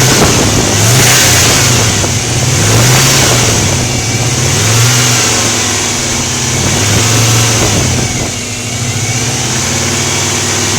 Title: Subaru engine ticking noise at 2000/3000 rpm